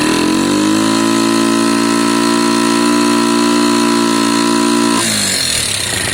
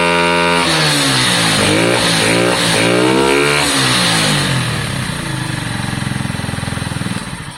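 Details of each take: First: Lexmoto Valiant single-cylinder motorcycle after EFI-to-carb conversion; revs climb then hang flat at a steady buzzing pitch at max revs, not peaking, with valve issues noted. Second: Lexmoto Valiant motorcycle after EFI-to-carburetor conversion, on stand: engine blips up and falls back cleanly, pitch rising and dropping smoothly, peaking higher than before; sounds better.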